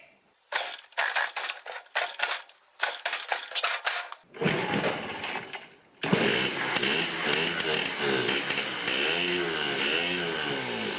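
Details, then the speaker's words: Yamaha QT50 moped (78 or 80) on first kick with choke, fuel mixed 40:1, possibly wrong spark plug: ragged two-stroke crackling bursts with gaps, then uneven running; rough running, intermittent spark later blamed on a faulty charge coil. "She's running, but not very good. I almost think it's the wrong spark plug in there."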